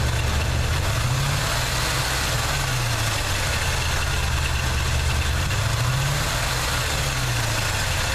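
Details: 1979 Chevy truck, 350 V8 with automatic choke: low, uneven idle with a lumpy beat where a cylinder seems to drop out now and then. Plugs are clean and unfouled and compression is sound. The idle misfire's cause is unclear.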